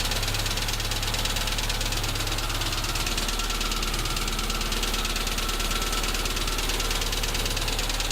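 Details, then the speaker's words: ZAZ Tavria with MeMZ-245 engine, about 800 km after overhaul with Avtramat pistons, idling on choke: sharp, fairly fast metallic knock that gets louder when cylinder 4 is disabled; suspected worn piston pin in cylinder 4, possibly from repair error or low-quality parts. "Пробуем запустить. Стук отчетливый. Пробуем отключать цилиндры. Отключение 4-го цилиндра. Стук усилился."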